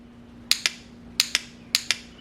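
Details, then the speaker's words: Starter relay (4-pin) from a 2017-2023 GSX-R1000 bench-tested by touching battery power to the coil pins: three crisp double clicks, clean pull-in and release, showing the contact actuator closes and the relay is good. "and we do so we know that the contact Point actuator is actually making contact that's the clicking noise you hear it's hitting so we know that's still in good condition"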